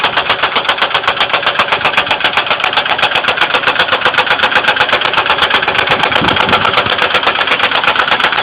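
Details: 2002 Ford Windstar 3.8L: steady fast ticking about four clicks per second at idle; oil level raised and light-brown milky, some spilled, coolant not significantly low; began overnight after running fine; engine ticking, cause unknown.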